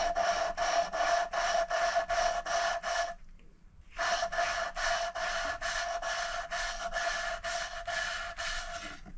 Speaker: Now what you do is you listen really carefully, and you'll hear the grinding noise, and it will go quieter and quieter to almost silent. Once it gets to almost silent, you know that you're done.